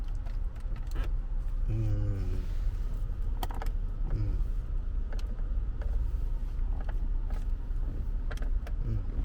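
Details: Kia K7 while driving: scattered sharp ticks and short creaks over steady road rumble from loose interior trim with play, worst when braking then accelerating; removed by interior noise-proofing work.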